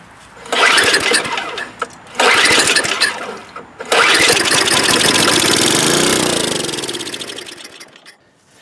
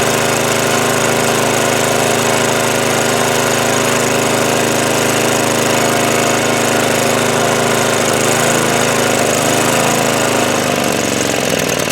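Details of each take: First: Snow blower that sat with old fuel, starting fluid sprayed into the carburetor: two short cranking bursts, then it fires, runs a few seconds and dies. It has compression, spark and correct timing, but a clogged carburetor main jet starves it of fuel. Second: Snow blower small engine that wouldn't start after sitting with old fuel, after cleaning the carburettor bowl, main jet and bowl nut, started on choke at full throttle: a steady buzzing drone holding speed; normal running.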